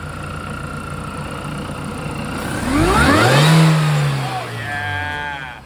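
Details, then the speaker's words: Mini Cooper R53 started right after an M7 Speed intake install and battery reconnect, revving: a thin supercharger whine rises and falls with the revs, alongside a known catalytic converter rattle. The supercharger whine is normal. "let's reconnect the battery started up and here's some hopefully some whiny wines besides the the cat rattle we will also hear the supercharger noise let's do it"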